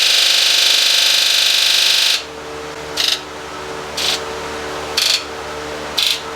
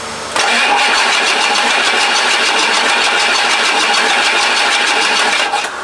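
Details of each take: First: Rebuilt 7.3 Powerstroke diesel, Ford Econoline van, injector buzz test after cylinder 4 high-to-low side fault code: one long buzz of all injectors, then cylinders one through eight buzz evenly about a second apart, all matching; injectors sound normal. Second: Rebuilt 7.3 Powerstroke diesel in 4x4 Ford Econoline van: starter spins hard steadily about five seconds, no firing; cranks but won't start.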